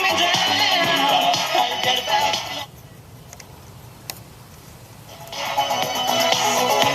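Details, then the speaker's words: European-made RCA Victor AM/FM/shortwave portable transistor radio after replacing a bad germanium transistor; clear music with no crackle, hiss or dropouts, no erratic current draw: normal playback. "No erratic current draw. Sounds good."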